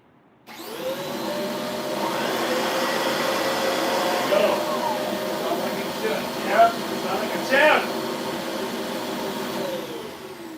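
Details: Vacuum cleaner after repair of a faulty first motor (brush was initially suspected): steady, even motor whine with constant airflow rush and no rattles or pitch wobble; vacuum motor runs healthy.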